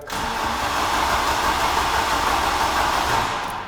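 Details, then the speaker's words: Mk3 VW Golf GTI petrol engine, not run in a couple of years and not starting: steady, even cranking at about 3.5 turns per second with no uneven beats. The cranking note suggests good compression on all four cylinders. "The engine note shows it's got compression. I mean, if we're professional, we can go and get a compression tester and test it. That's 1, 2, 3 and 4, and they're all okay. But just off the note, we know it's good."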